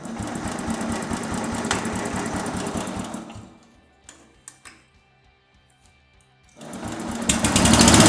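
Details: 1963 Bolens Husky 600 lawn tractor single-cylinder engine, first start after long storage: fast busy clatter that cuts out and fires back up, revving high without steady idle; seems not coming off choke (suspected).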